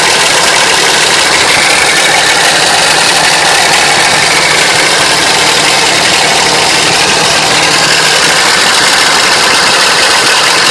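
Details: 2006 Dodge Ram 2500 pickup idling with a harsh, loud, clattery rattle instead of a smooth hum; cause unknown.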